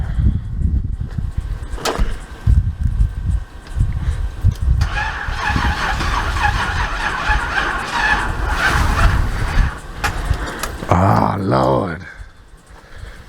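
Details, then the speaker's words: Crank no start on a Buick Regal: long spells of steady starter cranking with no catch; engine turns over but never fires. Owner suspects it needed gas pedal pumping while cranking. "it would have started if I was cranking it and putting gas in at the same time no I should have been pushing the gas at the same time"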